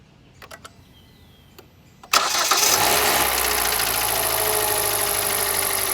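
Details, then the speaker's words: Petrol engine cranks and catches, then idles with a steady, regular knocking; it began only after catalytic converter removal at a shop, with oil consumption; owner suspects valves, crankshaft or pistons, unconfirmed. "стучать это все начало исключительно после удаления катализатора"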